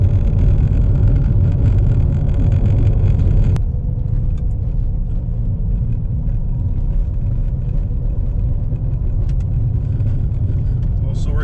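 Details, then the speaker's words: 2014 Impala at 70 km/h after fixing a rear howl, first blamed on a newly replaced wheel bearing, caused by a missing bolt: steady low tire rumble with no rising howl or rubbing; normal road noise. "70 clicks okay I think we're better now"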